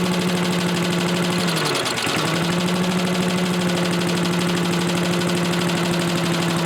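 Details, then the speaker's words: Old Lindell Litter Gitter yard vacuum's small single-cylinder engine, running after a new carb gasket, set to half, outdoors: steady buzzing note dips briefly after a couple of seconds, then settles evenly; runs well enough, carb adjustment to follow. "So, it runs well enough or at least seems too. I'm going to adjust the carburetor a little bit."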